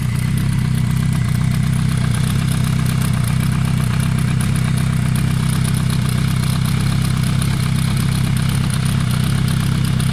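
Cold four-cylinder idle is steady, with a fast, irregular clatter of about four a second riding over it; the source is unclear from listening.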